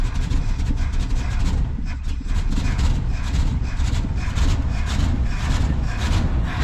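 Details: 1973 Mercury Grand Marquis Brougham, 429 Ford with C6 transmission, 55k original miles, sat for an unknown time, fed from a boat tank after priming: heavy rhythmic starter churn with steady compression pulses, but it never catches. Cranks, no start.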